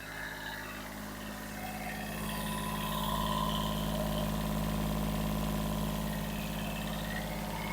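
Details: Kubota B7001 tractor diesel after about 10 minutes running following alternator replacement (which caused metallic noise and belt squeal), temperature fine, charging normally: ticks over evenly at about 207 beats a minute, no knocks or misses.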